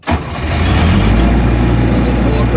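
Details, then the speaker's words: Military surplus 15 kW diesel generator, bought non-running and repaired, started while holding the switch to build oil pressure: catches almost at once and settles into a steady, deep, even rumble with no knocks or misses; normal healthy start and idle. "All right, so it's purring like a kitten. Y'all hear it? The diesel engine sounds so good."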